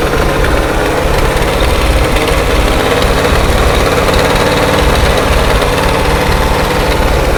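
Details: 1968 International 1500C dump truck, V8 possibly a 345, first start after sitting about 20 years: it settles into a steady, even low rumble with no knocks or misses; a healthy idle.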